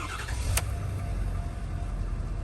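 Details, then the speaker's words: 2014 Ford F-350 start during a full vehicle inspection, listening for exhaust, manifold or donut gasket leaks and timing chain rattle; no OBD codes: quick crank, then a smooth low rumble with no rattles or ticks. Normal start. "clean, smooth start. Keep moving."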